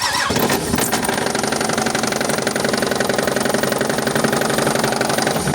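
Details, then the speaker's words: Nissan Murano engine with a light knock: faint, fairly quick tapping over a running engine with a slight misfire, seeming to come from the rear side; oil pan removal considered, source not pinned down. "Что-то стучит, говорит, маленько."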